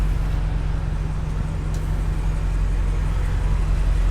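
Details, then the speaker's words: BMW F85 X5M road test while turning at speed after replacing the axle and a diff seal for a ticking noise when turning: steady low road rumble, no ticking or clicking; the axle was likely the cause. "nothing so far so I must have been the axle cuz I would have done it right I would have done it by now"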